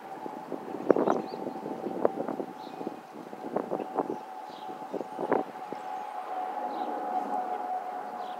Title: Airbus A320 family FOPP whistling sound